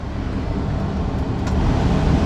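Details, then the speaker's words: Blower motor in a 3/4-ton Chevy van on its maximum setting, months after being lubricated: a steady, even rush of air with no grinding, squeal or hum, where before it was loud. It runs quietly and normally. "There's maximum right there. Listen how quiet that is. No grinding, no humming, no nothing."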